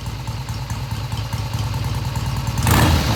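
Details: 1971 Triumph T120 650cc twin after carb tweaks of about an eighth turn: steady beat of about four pulses a second, picking up cleanly on throttle without stumbling and revving through mid-range; normal idle and revving.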